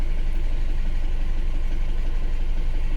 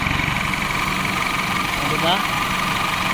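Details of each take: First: Isuzu Alterra diesel, misfiring with low power and check engine light after a valve cover gasket job: uneven idle lope, about three stumbles a second; injector group B supply voltage low, injector 3 positive wire shorted, killing injectors 2 and 3. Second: Isuzu Alterra diesel after repairing a chafed injector wire that had shorted to ground: even, steady idle with no stumbles; check engine light gone, running on all cylinders.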